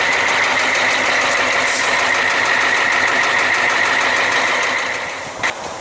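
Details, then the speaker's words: 1994 Ford F350, 7.3L IDI diesel, nearly 25 years old, oil cap off: rapid loud knock about three a second from the bottom end over puffing hiss; severe blowby, shop suspects cracked piston or bad rings, metal-on-metal sound. "I don't know he can pick up that kind of bang bang bang bang bang bang bang quite a loud knock and banging noise especially here at coming up in the bottom and"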